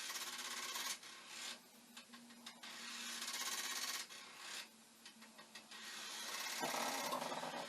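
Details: Commodore 1541 disk drive (test drive's mechanism on the faulty drive's board and power supply) looping a read program during stepper adjustment: quiet scraping chatter bursts about three a second over a faint buzz; head knocking against its stop, failing to read.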